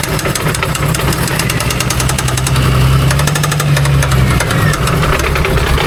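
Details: Engine with a sporadic knock after a hard run, awaiting teardown: steady low idle with an irregular knock that sounds hollow and echoes from the bell housing; clutch area suspected, not confirmed.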